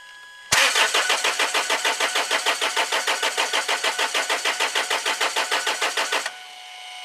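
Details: Land Rover Freelander 2 2.2 diesel after fuel filter change and running out of diesel: even starter cranking at about three compression beats a second for six seconds, no firing; air in fuel system, being bled at injectors.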